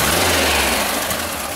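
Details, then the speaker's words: 1974 VW Super Beetle rebuilt air-cooled engine after swap, warmed up with air cleaner refitted; steady, even low beat, no knocks or misses, running quite well. "well we warmed it on up and it seems to be running quite well"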